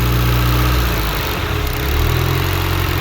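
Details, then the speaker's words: Suzuki Vitara petrol engine at idle: it sags briefly, then climbs back and hangs a touch high because the throttle is sticking. The throttle cable bracket is badly angled rather than straight and is to be adjusted. "So you can hear the throttle is sticking."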